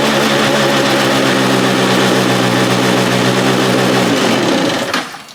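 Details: Free stand-up jet ski, two-stroke, out of water on a flushing hose after carburetor fuel pump parts were reassembled correctly to fix bogging and not revving: steady, even high-pitched drone then clean shutoff; running smoothly.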